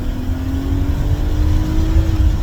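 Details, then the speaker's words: 1994 BMW E36 325is, 2.5-litre inline-six, manual, first drive after purchase: loud, raspy exhaust drone climbing steadily in pitch as it pulls, far too loud for stock; blown muffler. "even though the shocks are blown and as you're here in a second the muffler is blown so it sounds like it's got an exhaust on it"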